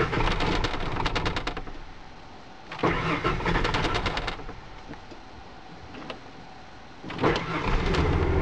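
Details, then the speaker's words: 1996 Ford F-150 cold start with the pedal floored then held half-way: repeated cranking bursts die off twice before catching on the third try. The truck randomly shuts down at stops and restarts after about five minutes; P0320, fuel not found at fault, distributor/PIP suspected. "okay so this time on the third try it started"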